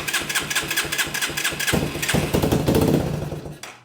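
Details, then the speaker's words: Yamaha 225DX three-wheeler with repaired original factory carb (seller had fitted an aftermarket carb and never got it running): steady cranking, then a short ragged burst on starting fluid that dies; fires briefly but won't run, fuel delivery fault. "so we do know it'll fire for a second at least on starting fluid now I think that's all it's going to give us"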